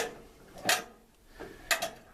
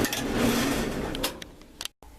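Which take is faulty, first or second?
first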